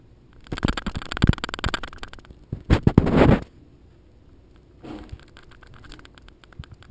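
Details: GoPro HD Hero2 bought new in January 2012, rattling since purchase: dry, uneven bursts of light clicks as the camera vibrates, owner suspects a loose internal microphone; cause not confirmed.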